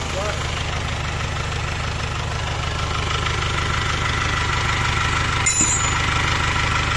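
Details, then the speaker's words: Isuzu Panther double-cabin diesel idling after overhaul, after replacing the leaking copper injector nozzle ring that had caused a hissing sound, before test drive to reach temperature; even regular clatter about three beats a second, no hunting, running fine. "ini setelah kita perbaiki kita ganti rank bagian nozzle nya rank tembaganya ya teman-teman gitu Ini sekarang suaranya Alhamdulillah"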